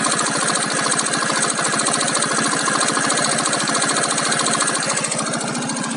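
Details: Keeway Cityblade 125cc scooter idling warm with a fast, busy metallic rattle and tick over the exhaust beat.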